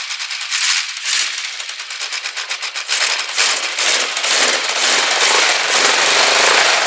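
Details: Rebuilt Kawasaki GPZ500S twin in a frame, about 130 psi, restarted on fuel left in the float bowls only: fires up with rapid popping exhaust settling into a steadier run; running properly.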